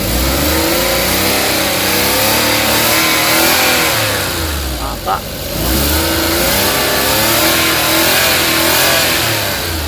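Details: Suzuki DA64/DA63/DA17 that had cranked with no start, no ECM reading and no shifter lights (P0707): the engine now revs up and settles smoothly several times with no misses or knocks; it runs healthily.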